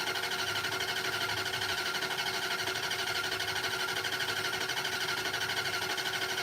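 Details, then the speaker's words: Carburetted Mopar with a mini starter and a mismatched battery: fast, even cranking with no firing. No fuel is reaching the carburetor, so it is probably out of fuel (suspected). "Doesn't sound like you're going anywhere with that. Those Mopar mini starters are no joke. You hear how fast that mini starter cranks that thing over?"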